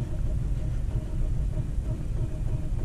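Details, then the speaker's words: 2007 Ford Fiesta 1.4 TDCi diesel with the cylinder 1 injector unplugged for a test, alongside a suspected faulty cylinder 2 injector: deeper, lumpier idle with uneven thumps and more shaking. Two-cylinder misfire; suggests cylinder 1's injector is good. "but it does feel worse like it's even more lumpy now if you can see the camera shaking um that's that's even worse"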